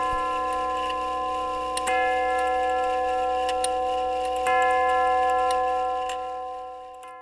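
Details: Grandfather clock tube gong movement, steady even tick with two ringing chime strikes that sustain and fade; after hammer refurbish for worn leather pads, running and striking normally.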